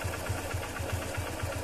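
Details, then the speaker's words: Motorcycle engine idling after the timing chain was set, odometer around 30–40 thousand: even idle thump about four beats a second with no chain rattle or slap, clean normal running. "इस देखो तो को एकदम प्यारी आवाज है गाड़ी की कोई फालतू की आवाज नहीं है"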